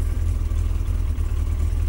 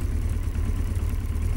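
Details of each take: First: Yamaha XJ900S Diversion just started cold after the final fix, warming up: deep heavy idle with a lumpy uneven beat, sounding like it is trying to stall. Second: Yamaha XJ900S Diversion after the final fix, idling as it warms up after a cold start: steady low idle with even beat and no hunting, sounding better than right after starting.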